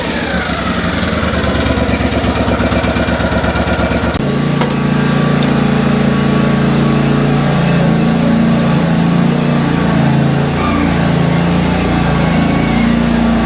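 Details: Kohler twin on a Simplicity Stallion zero-turn, after head gasket and carb work, now with a new muffler: steady thrum settling slightly lower, even firing, no misses; RPM maybe a hair low and slight whooshing noted, leak-down test planned.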